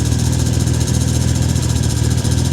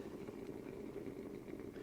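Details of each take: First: 1991 Mercury Cougar after adding BlueDevil head gasket sealer and running with the radiator cap off: deep, slightly lumpy idle, steady low throb, smoke subsided, no more puffing or coolant spitting, coolant circulating; still a touch rough. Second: 1991 Mercury Cougar with suspected head gasket failure, radiator cap removed after the hose stayed cold: irregular bubbling and gurgling at the open filler over a quiet running engine; owner says cooling system airlocked with exhaust gases; coolant gurgling.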